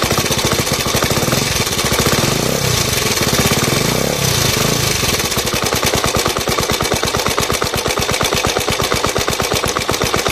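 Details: Suzuki Djebel 125/200 single-cylinder engine idling with a sharp, rapid metallic clatter on every firing beat; owner suspects tappet noise, cause not confirmed.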